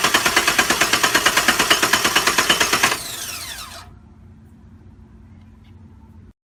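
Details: 2006 Pontiac GTO won't start after electrical repair attempts, error messages on console: fast even sharp clatter about three beats a second, then cuts off and fades; cause unknown.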